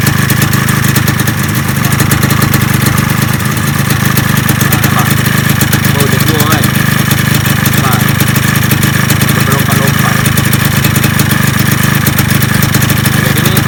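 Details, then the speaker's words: Yamaha 125Z two-stroke at a steady, even buzzy idle with no knocks, top cover temporarily fitted; the cover makes it a little quieter; normal idle. "Kepala pelak tak pasang dah. Bunyi dia senyap sikit kan."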